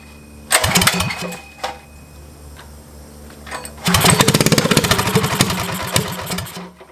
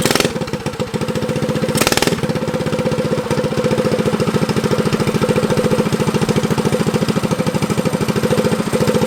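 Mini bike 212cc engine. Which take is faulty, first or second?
first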